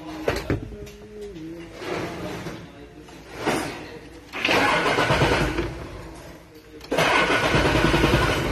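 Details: Mitsubishi 6M61 diesel that cranked but wouldn't start due to faulty ECU, after wiring repair: cranks, catches after a couple of tries and settles into a steady idle with uneven revving bursts; now starts properly.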